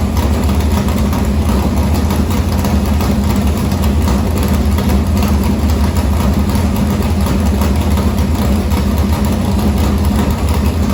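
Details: Morgan Machine-built open V8 (about 358 cu in) race engine in a Harris car, EQ heads, likely an Edelbrock Victor Jr two-barrel intake, started after sitting a week and a half to refill an unhooked fuel line: deep, loud, even lumpy race-cam rumble, no knocks or rattles; normal idle.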